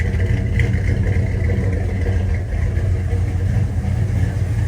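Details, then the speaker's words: 1968 Dodge Dart, first start after installing a replacement 727 automatic transmission with about six quarts of fluid, in neutral warming up: smooth, even low rumble at steady idle with no knocks or misses; normal idle, owner calls it good sounding. "I'll let it warm up a little listen to that that's a good sounding car right"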